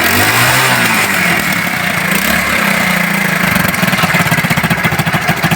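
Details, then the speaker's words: China Unique 70cc single-cylinder bike that had been missing even with a new plug; after the spark plug was spark-tested and fitted, it fires up and holds a steady, even beat with no missing. "देखें दोस्तों, ये अब तो missing नहीं कर रही।"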